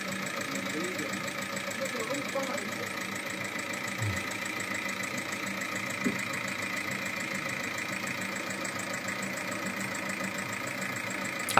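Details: Seat Altea 1.9 TDI 105 hp diesel with about 175,000 km idles with a steady fast metallic clatter over the engine note; oil more viscous than specified wore the hydraulic tappets and camshaft badly, one cam lobe eaten away.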